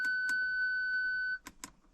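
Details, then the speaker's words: Audi A6 C6 Avant park assist fault with ignition on: a steady, high electronic tone of about a second, then short chirps from the rear only, with the warning light flashing; no sensors working, failed front chime speaker. "see it shows up none of the park sensors are actually working and it just makes that beeping noise and flashes the light"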